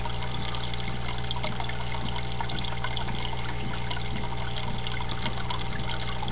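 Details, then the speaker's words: Desktop aquaponics, two tanks, two grow beds, one pump: steady trickle with soft gurgling pulse about four times a second over low pump hum; bell siphon draining normally, complete once bubbles stop. "as you see there once the bubbles start going away that's the complete cphon"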